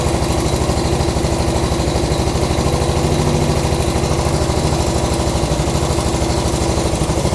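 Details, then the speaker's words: 1975 Honda CB200T twin: uneven lumpy idle with irregular firing and backfire pops, hunting high then dropping; owner suspects one cylinder ran out of fuel, carbs may need adjusting. "It was backfiring a little bit, which kind of worries me a little bit. and it was revving up really high and then all of a sudden it just revved down."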